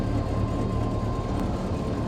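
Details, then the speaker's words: Bombardier Bombi with Holley Sniper 1100 fuel injection replacing carburetor, 60 psi fuel pump, just after exhaust manifold crack/leak fix, first start, no throttle: steady, even low rumble, no ticking or puffing from manifold. Normal idle, much quieter now. "That's actually sounded pretty good. Boy, does that thing ever run a lot more quiet now."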